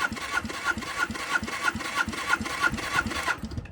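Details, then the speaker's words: 1978 Honda CB400A Hondamatic 400, stored outside 10+ years: steady starter cranking about three pulses a second, no firing, during compression test; right cylinder about 105 psi, left 155; low compression, rings likely stuck. "Well, that's not surprising. One side has 105 and the other has 155. 105 still seems good enough to run, but it ain't good."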